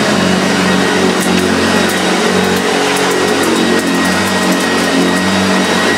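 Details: Early first-run plastic-hood Hoover Junior 1436 Mk1 upright vacuum, very good condition: steady, even motor drone with constant fan rush and no rattle, scrape or surging; runs healthy.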